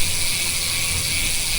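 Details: Mountain bike rear wheel on LDCNC Aero RB rimset with CST Foxtrail 29x1.95 tire: fast, even stream of crisp clicks while coasting, no grinding or roughness; normal healthy freehub ratchet.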